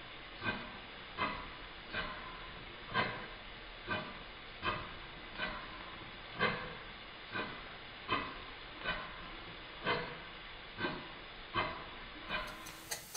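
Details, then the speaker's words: Rebuilt Stuart Twin Victoria miniature twin-cylinder steam engine, still running in: slow soft exhaust puffs, unevenly spaced with faint hiss, from a tight spot on the crankshaft; should improve with more running. "amount of tank that's on the crankshaft and that makes the beach sound uneven this will improve with more running"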